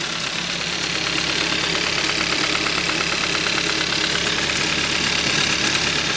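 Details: 2013 Hyundai Accent 1.6L petrol at warm idle: steady sharp knock about three times a second, absent when cold and appearing after warm-up; owner suspects rod bearing or loose timing chain, engine to be torn down.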